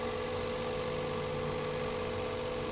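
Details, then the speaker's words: Nissan DayZ that had a morning starting problem and code P0303 (cylinder 3 misfire), after cylinder head valve repair. Steady, even idle hum with no stumble or miss. Normal idle after the repair. "गाड़ी बिलकुल अब इंशाल्लाह अपनी जगह प आ गई"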